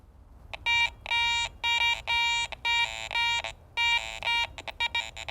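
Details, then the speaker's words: Garrett ACE 400i metal detector in jewelry mode with iron audio on, swept over a bottle cap: clean repeated beeps with buzzier iron grunts at the swing ends, showing the target contains iron, not a good coin. "you notice there at the ends of the swing as I passed the target by there's some grunts on either side of the target above it it sounds pretty good but coming and going there's enough grunts going on that I know that target contains some iron"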